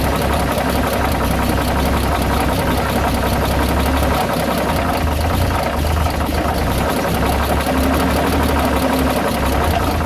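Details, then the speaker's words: Dodge WC52 engine running at steady idle: fast, even clatter with a faint scuffing underneath, a knocking and rubbing noise; source not determined. "on l'entend comme un bruit de claquement, de frottement."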